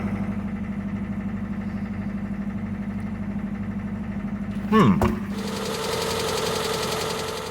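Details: Cold start of a 1974 Citroën GS at about -10°C (at least 9 below zero), air-cooled flat-four catching at once and settling into a steady, even ticking idle with a firm low beat and no stumble; normal cold idle.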